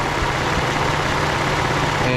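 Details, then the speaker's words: 2013 Ford F-150 3.5L EcoBoost at idle: rapid ticking rattling knock, steady through an injector dropout test; traced to the mechanical high pressure fuel pump. "uh it's coming from this area and i've pretty much chased it down to the high pressure fuel pump"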